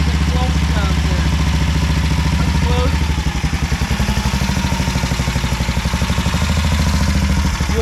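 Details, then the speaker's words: 1950 BSA B33 single at idle after first start post-rebuild: steady thumping, then the beat stumbles and knocks when trying to go forward; gear knocks, owner suspects clutch slipping, not grabbing well. "Alright, so if I try to go forward, there, it's knocking the gear. You can hear it sliding on the clutch plate. It's not grabbing on very good."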